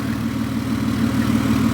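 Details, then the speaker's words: Car idling with an overly loud, chuffing exhaust that pulses under the engine, due for its MOT. The leak is felt by hand at the exhaust, likely the big silencer, which needs replacing. "that's got to be leaking somewhere you want to put your hand oh yes put my hand on the exhaust and uh let's see if we can see where this is leaking oh oh I think it'll be that big silencer there"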